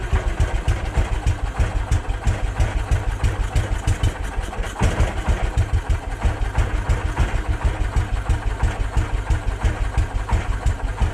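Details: Case 444 single cylinder, fed from a temporary jerry can because the fuel pump leaks badly: steady thumping at about three beats a second, even and unbroken at low speed; running normally.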